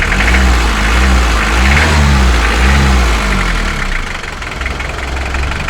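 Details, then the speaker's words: Mitsubishi L300 diesel after injection pump timing fix for hard starting and white smoke: restarted easily, even steady idle clatter with no hunting or misses, no smoke; normal diesel idle. "Oke, kita coba kita matikan, kita hidupkan lagi, tidak usah dipakai. Ringan, asap juga nggak ada."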